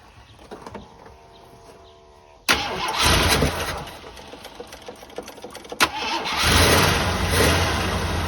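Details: 1984 Jeep Wagoneer after sitting, new Edelbrock electric fuel pump ticking: catches at about two and a half seconds and settles into a steady rumbling run that briefly picks up, choke on.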